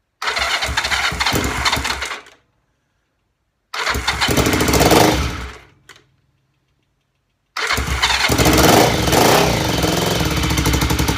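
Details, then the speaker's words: Twin-cylinder BSA Fury SS (E35SS) shakedown after rebuild, electric start on full choke without tickling: catches, dies twice, restarts and holds; still slow picking up, owner suspects one carb slide rising slower, then unsure which cylinder. "okay fuel off that was better didn't require any tickling for uh to start it up but um it is still a bit slow picking up and it's definitely the right hand cylinder"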